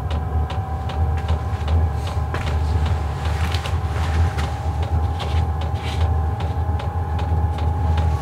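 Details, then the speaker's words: Portable diesel heater ramping up at about 45°F outside, heating a Clam X-500 ice tent: even steady low hum, constant fan tone, no ticking or sputter, vent air dominating; normal running, clean, no smoke. "you'll hear the clicking at first but it does deaden out after it gets going here so it's just priming right now and then you kind of hear more of the vent and the air sound coming out more than the ticking from what I've noticed"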